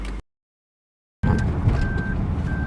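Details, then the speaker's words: 2014 Toyota Sienna, left rear sliding door closed but shown open: steady high beeps about every half second over road rumble the whole drive, caused by the door's ajar switch button not being pressed; fixed by replacing that piece. "So, that annoying beep goes on the whole time you drive."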